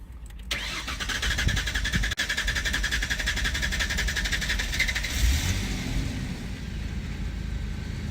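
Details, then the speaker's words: 2001-2003 Ford Ranger hot start with P0171/P0174 codes: long steady cranking about four and a half seconds before it catches; fuel pressure bleeding down, suspected leaking fuel pump check valve, regulator or injectors after filter, O2 sensor, MAF checked. "the old ford has developed some new problems now we're getting some hard starts and throwing some codes"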